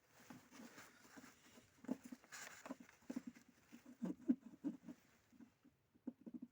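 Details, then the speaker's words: Lada Vesta: a filter's pin shaken in its hardened rubber mounting grommet gives irregular light dry taps and rattles, a few per second, the rattle heard in the cabin under load, first noticed in frost and still present at -3°C. "она в самом посадочном вот этом месте дребезжит то есть фильтр это стает туда плотно сам этот шпенек отросток эта резинка вот он обрекает и такой звук издает салоне противный какой-то дробный такой"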